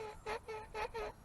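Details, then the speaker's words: Soyee GPTOYS 1:10 4WD RC truck with a GoPro on top: short, squawking squeaks, about four in a second and a half, as the suspension works. The rear and front shocks are screeching; owner suspects water on them. "front ones are screeching a little bit so that's what that sounds the rear shocks are screeching"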